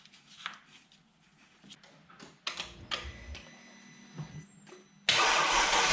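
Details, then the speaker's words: Mercedes E350 3.5 V6, first cold start after a rebuild for knocking and scored cylinders with new valve stem seals and gaskets: engine catches abruptly and settles into a loud, even cold idle, barely any smoke, healthy. "Even at cold start, barely any smoke."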